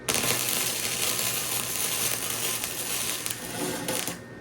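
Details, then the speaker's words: Titanium Flux 125 flux-core welder joining exhaust tubing on a truck: steady crackling arc sizzle that cuts out abruptly as the weld burns and blows through the thin pipe. "Sounds like we burned through her a little bit. We did. Ooh. Burned through it again. No, it's just blowing through."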